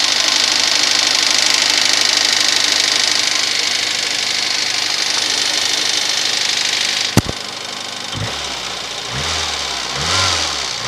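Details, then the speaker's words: VAZ 2110 8-valve engine, fully cold at start: quick fairly steady ticking knock, three or four a second, at idle; fades as idle drops to 1000 rpm but still heard on revving, vanishes when warm; cause unknown. "Так, проблема заключается в следующем. Короче, двигатель совершенно холодный. И вот такой треск."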